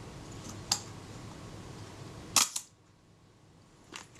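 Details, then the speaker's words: Kodak Retina Reflex type 025 leaf shutter after adjusting the speed cam during service for a faulty shutter release: short, even snap of opening and closing in a quiet room; speed now correct. "okay we're in business that's good that speed's fine now"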